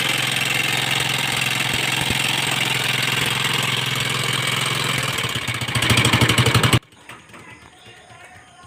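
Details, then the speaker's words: Motorstar Star-X 125 single-cylinder bike idling very noisily with a loud rapid metallic clatter; owner thought the rocker arms were faulty, mechanic opens the engine to find the real cause, a worn loose timing gear. "Ah meron tayo ditong Motorstar 125 na napakaingay mga boss"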